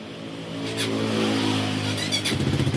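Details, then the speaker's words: Honda Supra GTR 150cc fuel-injected motorcycle engine after top overhaul, ECU reset with OBD 900 Pro scanner, TP sensor 0.51 V; catches, runs briefly with steady low beat, then ragged uneven pulses and stalls, blamed on weak battery. "Ayun, namatay, mahina pa battery. Buhayin natin. Pasukin natin ulit. Ganyan po pag mahina battery pa, mamamatay talaga 'yan."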